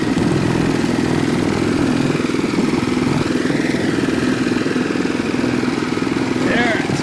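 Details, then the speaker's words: Renovated Troy-Bilt Horse tiller in low gear, tines set deep, tilling rocky soil: steady even engine beat holding firm under load without surging or missing, working pretty good; slight belt squeal noted once when tiller hit a rock, belt may need tightening. "make a pass coming back see that works uh working pretty good"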